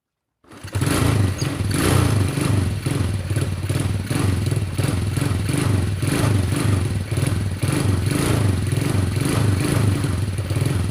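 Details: Motorcycle not started for a long time, after hot water poured on the cylinder head: engine catches and settles into a steady, even low thump with regular pulses, no knock or rattle; running fine once warmed.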